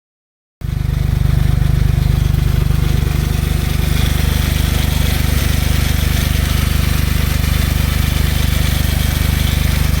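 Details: Smart Roadster engine at idle: steady with a fast, fairly even light clacking on top, about three to four per second; valves or chain suspected, unconfirmed.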